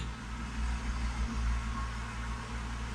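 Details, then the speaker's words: BMW E36 drift car at idle after sealing exhaust leaks with cans and glue: soft, steady low rumble, no ticking or puffing, exhaust flowing out both pipes, very quiet and smooth. "it sounds good it does like it's very quiet"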